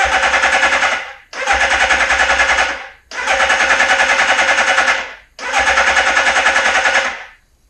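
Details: 1981 Suzuki GS650GL under rebuild with fresh plugs, filter, oil and new battery: four short bursts of fast, even starter cranking with pauses between, spinning freely but not yet catching.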